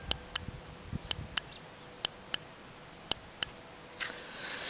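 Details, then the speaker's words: 1984 Kawasaki GPZ750 Turbo, fuel injector freed after 22 years stored, bench-tested with voltage on both terminals: sharp crisp clicks, often in quick pairs, each time powered; injector solenoid opening normally. "here's the injector working I'll apply voltage to both Terminals and I'll hear it"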